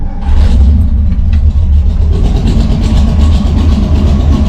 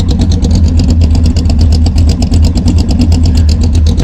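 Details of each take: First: Engine with Brawler 650 CFM double-pumper carb (mechanical secondaries), timing 16° initial / 36° total, tuned with a vacuum gauge: deep, loud, lumpy idle that stumbles unevenly and never settles because the idle mixture is set too rich. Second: Cammed engine with a Brawler 650 CFM double-pumper carburetor (mechanical secondaries), warmed up, timing 16° initial / 36° total: deep loping idle around 900 rpm with a steady choppy cam beat, even and healthy, no knocking.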